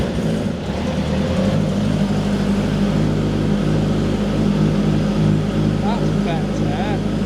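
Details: Ninja H2 supercharged engine swapped into a Mini, freshly base tuned with new custom exhaust: engine settles into a fairly steady fast idle, even hum with no hunting or stumbling; idling properly now.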